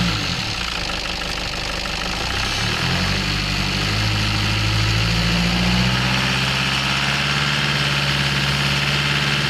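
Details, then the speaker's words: Nissan Patrol ZD30 diesel after replacing a leaking exhaust manifold that caused a high-pitched squeal on acceleration: revs up smoothly and settles, no squeal or whistle over diesel clatter. "and as you could hear there the noise was gone the fault was found and fixed and it all came from that exhaust manifold"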